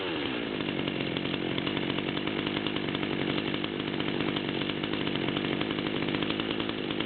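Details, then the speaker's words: Stihl MS200-series chainsaw with 25-inch bar, two-stroke, idling around 3100 rpm per tachometer: steady, even idle with no misses or hunting; healthy. "so we're Aylin around 3100 pretty good sound to it at the moment"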